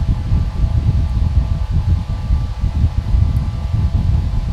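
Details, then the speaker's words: Small vintage metal electric fan at full speed after settling in: soft low whoosh and faint steady hum with no rattle, blowing strong air 3-4 feet away; earlier slight rattle suspected from misshapen cage or blades lightly touching. "But for the most part, it was fairly quiet once it got up to speed and kind of settled in, and it was blowing a pretty good amount of air."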